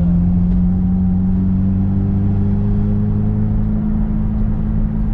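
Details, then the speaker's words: Kombi (VW van) under way on the road: steady low droning rumble with a faint rasp over the engine note; holed exhaust leaking. "esse barulhinho de Escapamento furado tá chato hein"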